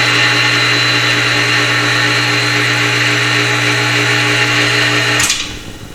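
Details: Porter Cable Jetstream 60-gallon air compressor, nearly 20 years old, 220 V 5 hp motor that shot out sparks and smoke: loud steady electrical hum with harsh buzz, then sudden cut and wind-down; burnt motor windings, motor replaced.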